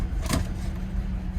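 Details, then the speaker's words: 2005 Cadillac CTS, 139,000 miles, check engine light on: low, lumpy idle with an uneven beat that keeps sagging as if to stall. Possibly a fuel issue; cause unconfirmed. "oh listen to that doesn't want to idle could be a gas thing"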